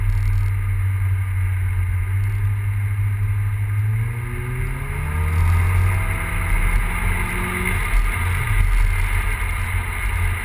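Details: Big-turbo E85 Volvo 940 engine runs rough and uneven, stumbling at idle and through two brief revs; misfire of unknown cause.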